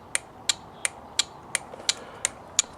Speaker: on the left there and you can hear this thing going on and off